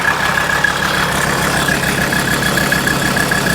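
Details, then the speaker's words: 1984 Mercedes 300D turbo diesel, bought as mechanical damage, smoking heavily: loud, clattering idle with an uneven, shaky beat over a steady drone; something is wrong but the cause is unclear. "well this thing sounds horrible"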